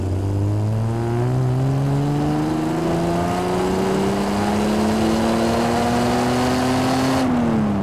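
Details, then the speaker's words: 1975 Triumph TR6 PI with Lucas mechanical fuel injection, floored from about 900 rpm idle: engine note climbs smoothly to high revs with no stumble or hunting, all over by 5,000 rpm; healthy throttle response and meaty torque curve. "beat that it's sort of all all over by 5,000 RPM but that's fine it's got a nice meaty torque curve"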